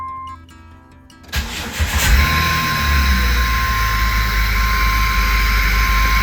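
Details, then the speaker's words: Jeep WJ at idle with the airbox removed, still idling high (expected 750 to 800 rpm) after fixing a vacuum leak, possible miss felt: fast, steady idle with a loud airy hiss; intake air noise from the open intake. "it does make more noise with the airbox off. You hear all that air noise."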